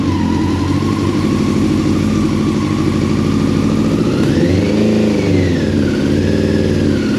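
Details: 1999 Yamaha R6, first start in 10 years, running from an external tank; uneven, lumpy idle with choppy exhaust, revs sagging and recovering. It is running on three cylinders, and one carb is leaking fuel.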